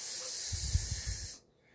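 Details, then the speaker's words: Vacuum leak at the intake manifold or its gasket: a steady, airy high hiss like air escaping a balloon, then sudden quiet; such leaks can cause rough idle, stalling and misfire or lean codes. "you're going to start to listen for a hissing noise it's going to sound something like air leaking out of a ball or a balloon such as gonna make this type of noise"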